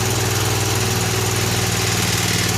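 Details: Vintage Honda E300 300-watt generator (about 1970), small single-cylinder engine running after carburetor cleaning: steady even chug with clean regular pulse; runs sweet and stable.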